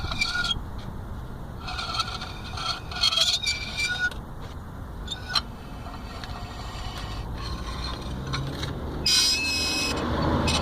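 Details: Vauxhall Astra H with the wheel removed, disc turned slowly: thin metallic squeals and scraping come and go as the bent brake dust shield on the back of the disc gently rubs the disc; fixed by bending the shield back.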